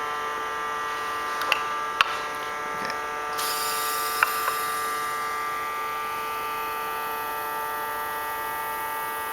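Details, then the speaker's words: Turbo XS RFL blow-off valve on a test rig pressurized to 20 psi: a faint constant hiss over an electrical hum as air leaks past its bare metal-to-metal seat, which has no O-ring. The Synapse valve on the same rig does not leak. "I'm pretty sure you can hear a small amount of air escaping from the Turbo XS valve."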